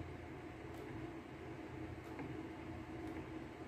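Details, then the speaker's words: LG clothes dryer RC8011A6 after motor replacement, test run set to 21: quiet steady hum with faint even drum rumble, no grinding or squeal; the earlier noise is gone, running smoothly. "Wala nang ingay, hindi na kagaya kanina. Yan na siya, tahimik na siya. Yun lang naman nire-reklamo nila, maingay. Na-resolve na natin yung ingay niya ito."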